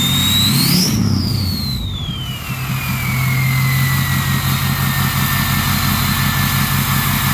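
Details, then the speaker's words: Ford 6.0 Powerstroke diesel with a new stage 1.5 63.5 mm turbo: a loud jet-like whistle climbs high as revs rise, then sweeps down as it settles to idle. A healthy turbo. "So they said they'd put a 10-blade in this boy, and it should whistle real good, like a jet plane."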